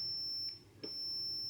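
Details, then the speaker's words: Commodore 64 logic probe (ground and 5 V) giving a steady piercing high beep, briefly broken then resuming, reading high on every pin where they shouldn't all be high; 6510 swap didn't fix fault, cause suspected, not confirmed. "high, high, high. They shouldn't all be high."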